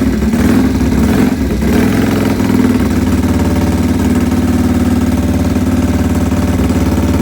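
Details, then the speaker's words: AJS 1000cc overhead-cam world record breaker built 1929, 138 mph record attempt 1931 at Agen, France: fuel and oil on, after starting it blips then settles to a strong, even idle with steady low beat, no knocks; runs exceptionally well. "But however, it runs exceptionally well, and I'll crack it up and let you have a listen to the world record breaker."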